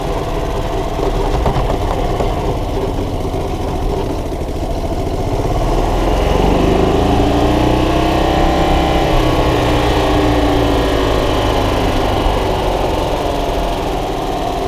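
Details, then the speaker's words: 1993 Club Car golf cart single-cylinder gas engine, after carburetor clean, plug clean and battery charge; steady putt rising in pitch as it revs. Pedal shut-off is bypassed (wide open), so the engine keeps running when the gas pedal is released. "yeah most golf carts when you uh lift your foot off the gas yeah motor shuts down but i have that bypassed on this end it is wide open so the motor the motor doesn't turn off so it keeps pushing a little bit when you uh when you let go of the gas pedal"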